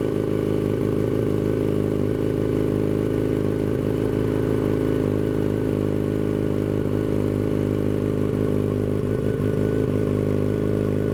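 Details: 2006 Yamaha FZ1-N fitted with a Two Brothers Veil 2 slip-on exhaust, first start, breezy with a hand over the mic: strong, steady multi-cylinder drone with a light hiss and a louder exhaust note. Normal running.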